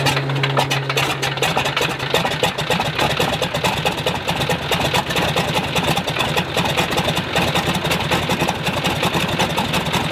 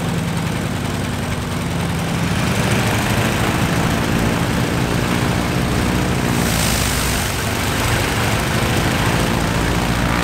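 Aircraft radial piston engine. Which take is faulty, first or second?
first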